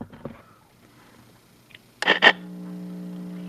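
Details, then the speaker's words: Juliette NA-1114 radio, just plugged in: two switch clicks, then a constant low buzzing hum that stays flat with the volume off. Hum seems to come from the AC; cause unconfirmed. "it doesn't seem to be anything but from the AC it's all sound"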